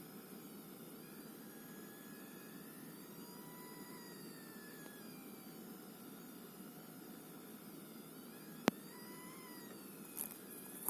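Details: ASUS Dual RTX 2060 SUPER EVO OC graphics card under GPU-Z load test, with faint warbling high-pitched coil whine over steady fan hiss.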